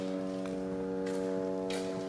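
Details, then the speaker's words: Ford truck in the shop after front U-joint work, engine shut off about five minutes: a steady droning hum of several stacked tones with faint footsteps keeps going; the source of the noise is unexplained. "I shut it off, and about 5 minutes later, it started making noises."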